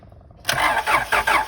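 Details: 1999 Acura TL crank-no-start: the starter spins the engine with quick, uneven cranking beats but it never fires; no spark found, and a broken ignition coil connector was spotted.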